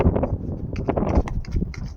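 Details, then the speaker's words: Quick steering wheel movements cause irregular dull knocking clunks from a bad steering shaft joint with free play; owner first suspected the tie rods. "We hear this knocking noise when you quickly turning the steering wheel. You will hear it most of the time."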